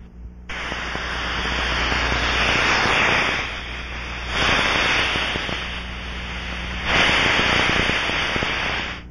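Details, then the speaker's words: Pressurized aircraft scanned with an ultrasonic probe at maximum sensitivity, fixed band mode, log meter: steady rushing hiss swelling and fading as the probe sweeps past, loudest at the fitting, a pressure leak. "begin scanning with the sensitivity set at maximum and use the fixed band mode the meter mode should be in the log position scan the area following the characteristic rushing sound"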